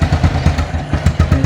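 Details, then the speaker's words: Motorcycle, weak battery so push-started in 4th gear on center stand: low lumpy thump of a just-fired, very cold engine at fast idle with slightly uneven pulses, needing throttle to keep running. "Ulangi lagi karena ini masih sangat dingin, harusnya gas ya, gas langsung."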